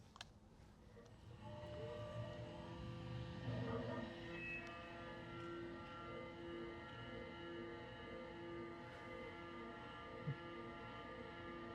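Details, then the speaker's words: CNC milling on an optimized toolpath with considerably higher spindle speed and feed rate: steady, even cutting tone with clean pitch, no rising howl or scream; normal cut free of chatter vibration. "This sound is not chatter. This is normal."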